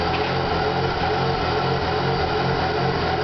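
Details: 2001 Pontiac Grand Prix GTP, recently bought, stalled on freeway, IAC valve found faulty, jerking and hard shifting: uneven, lumpy low idle drone with slight wavering beat; rough idle.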